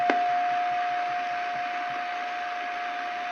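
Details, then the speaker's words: Hallicrafters SX-140 receiver after alignment, signal generator coupled via blocking capacitor, level lowered toward about -130 dBm: thin steady tone still clear over hiss as signal drops; normal, good sensitivity. "And I can actually run this all the way down to almost minus 130 dBm is what I noticed in my measurements with my sensitive ear."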